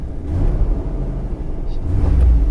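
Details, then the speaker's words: Surplus government auction van started at inspection. A deep, even rumble swells smoothly as the revs climb, no knocks or rattles; the ABS and parking brake lights are on. The engine runs and revs healthily. "There she is. Morning. Hopefully you can hear that. You know, it runs."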